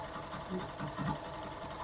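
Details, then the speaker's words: Factor 150 after fixing a chronic strong bottom-end engine noise that sounded like a growling bearing: the repaired engine idles quietly with a light, even mechanical patter and no growl. "Então vamos ligar motoca e tá aí ó moto limpa sem aquele barulho"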